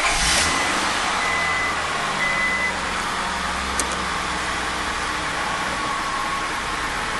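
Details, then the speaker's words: Honda Odyssey, cold start right after replacing the idle air control valve: steady, slightly high idle of about 1100 rpm without surging, expected to drop a little once warm; a normal fast cold idle. "all right idle speed is up and once it warms up it should come down a little bit below it's about 1100 right now"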